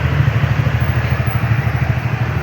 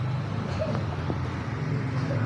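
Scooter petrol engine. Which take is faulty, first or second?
second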